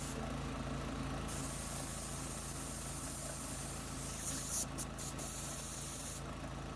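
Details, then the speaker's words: New gas-powered MaxAir air compressor, first run after unboxing and assembly, after some difficulty starting: steady, even engine drone with soft air hiss, no knocks or misses; running normally. "But anyway, seems to be working okay."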